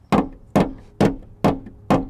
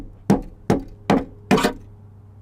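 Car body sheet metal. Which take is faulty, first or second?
second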